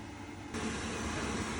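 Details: Boiler on a no heating, no hot water call, switched on after reassembly: soft hum jumps to a steady airy rush about half a second in as the fan spins up smoothly and runs evenly.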